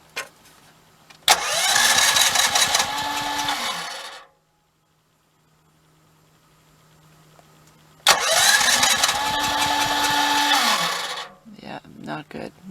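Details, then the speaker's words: Generator cranked with the electric start button, choke on, after failed remote-start attempts; two long bursts of fast, even cranking with no firing; owner suspects the electric start or battery; cranks but no start. "Put the choke on. Maybe it does not want to start. This is not good. Choke is on."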